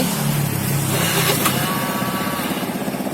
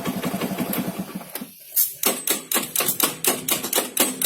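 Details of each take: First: Honda Beat carburetor scooter, starting issue linked to the brake-switch relay connector: engine catches at once and settles to a steady putter of about four beats a second, no clicking; normal start and idle. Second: Carbureted Honda Beat scooter electric starter: sharp clicks about twice a second with no cranking or firing behind them; starter relay clicking without engaging.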